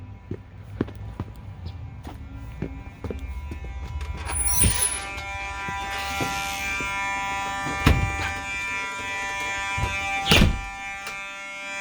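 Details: Fire alarm horn (9219 tested) sounding outdoors in the cold with a bright flashing strobe: loud tonal buzz over outdoor noise and claps; alarm sounding normally.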